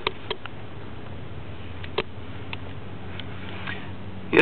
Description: Engine stall followed by "clicking noise" in Main Relay.